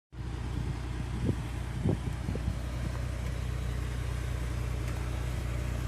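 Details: 2005 BMW 330ci rolling onto an angled driveway: a few dull knocks over a low car rumble. One knock also occurs in sharper turns as the weight shifts side to side. Several mechanics could not find the cause.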